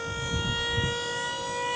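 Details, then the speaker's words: Diamond C trailer hydraulic dovetail, electric pump lowering the dovetail. The dove first rises a few inches past level, then descends. A steady pump whine changes pitch under load as it lowers; the pump is operating normally. "so you can see pressing down the dove comes up first it's going to go just there past level a few inches and then it starts its descent"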